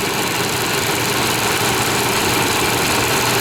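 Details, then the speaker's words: 1998 Chevy Vortec V8 restarted after about 12 years not running, following a Passlock reset; cylinders were filled with oil, slight exhaust smoke; loud steady idle, even beat, no misses or knocking, smoothing out; good oil pressure, alternator charging; normal idle. "After a dozen years of not running it, running. Sounding good. Looking good. Running better and better."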